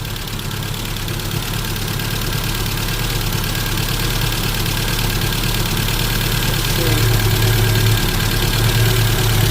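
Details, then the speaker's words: 1988 Isuzu Trooper 4x4, manual five-speed, running again after sitting for many years: steady low idle that firms up, no knocking or misfire, no blow-by or smoke; likely needs plug wires; healthy idle. "But running away. Sounding pretty good."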